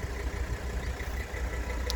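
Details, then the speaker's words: 1984 Mercedes-Benz 300D 5-cylinder turbo diesel, showing about 121,000, just started from cold: steady low diesel clatter at idle, even rhythm, no knocks or misses; starts cold fine; normal diesel idle. "while you hear it run so just started uh please warm now they start up cold just fine"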